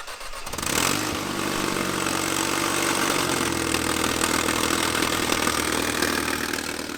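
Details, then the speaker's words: Supercharged Mercedes-Benz C-Class W203, manual, started with an exhaust sensor removed to bypass the restriction: louder, open raspy exhaust but steadier, smoother idle and revs higher than before; restricted catalytic converter suspected; crankcase pressure still high. "so far it's definitely louder which is normal but it also looks like it's idling more smoothly the engine is really steady"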